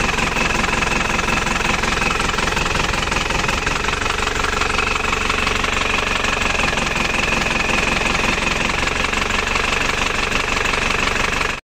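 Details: Isuzu Panther LS diesel as it arrived at the shop. It idles with an uneven, limping knock of about 110 a minute, stumbling irregularly with one weak cylinder. The mechanic suspects a severe compression leak, though uneven injector nozzles can also cause limping.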